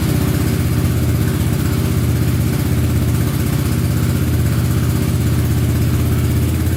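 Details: Honda Big Red ATC 200 (200cc) three-wheeler, barn find sat over 6 years, first run after carburetor reinstalled: small single thumps along steadily and evenly, no misses, knocks or hunting; runs pretty good, normal running.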